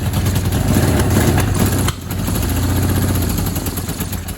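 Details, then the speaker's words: 1982 Suzuki GS1100, first start in over 20 years, carbs choked with cardboard, not warmed up: lumpy running stumbles when throttle opened, recovers briefly, sags and dies; stalling on throttle when cold. "oh i had to get greedy didn't i i had to get greedy well guys i can't be mad about that at all i tried to get a little greedy give her a little throttle before she'd even warmed up"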